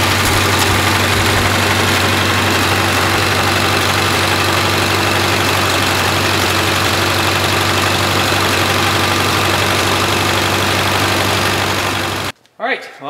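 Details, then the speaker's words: Freshly rebuilt 1932 Ford Model B four-cylinder, very first start: loud lumpy running about four beats a second with a chuffing miss; misfire, fixed by new points, retiming and float adjustment. "the first start was uh you know Growing Pains but uh it had a little chuff to it and it had a bit of a miss so we uh put new points in it retimed it uh set the float a little bit different"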